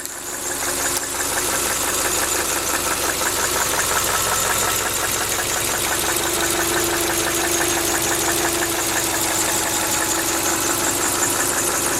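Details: 2000 Subaru Outback Limited: sharp regular knock about three a second over the engine; began only when cold about 12,000 km ago, now constant, unchanged over 5,000 km; owner unsure if rod knock or piston slap.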